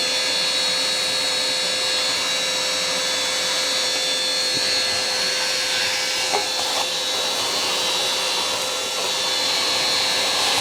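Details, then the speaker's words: Worn wet-vac motor mopping up spilled coolant on the workshop floor gives a high, strained howl with a thin whistle on top; slow but still working. "Howling motor push wet vac to the rescue. Come on. Slow, but it's working."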